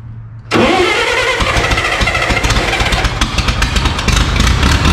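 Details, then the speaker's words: Carbureted skid loader engine, after tightening the fuel line: catches after short crank into slightly uneven lumpy idle with ragged firing; sounded better but still rough; air leak or sticking float suspected. "Nope. Well, it sounded better."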